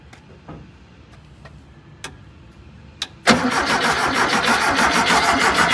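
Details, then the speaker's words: VW Thing air-cooled engine: a few faint clicks, then steady rapid starter cranking that never catches. No fuel is coming through the line, so none reaches the carburettor; a low tank is suspected. "gas no gas H if we can't get it to come out there it's certainly not going to make it to the carb"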